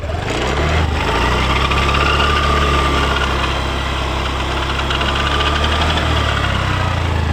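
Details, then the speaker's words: Honda Dio BS6 scooter at steady idle: faint whirring tone with a loose, uneven rattle over the engine beat, a noise common on BS6 scooters; sounds like a worn bearing, fixed by bearing replacement. "तो जिसका भी bs6 scooty है उसका किसी ना किसी का तो यह आवाज हुआ ही होगा"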